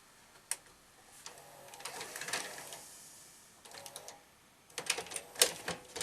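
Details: Panasonic NV-SV121 S-VHS deck after repair of its loading problem: crisp clicks and short motor whirs in a clean sequence, no grinding or stalling; cassette loads, plays and ejects properly.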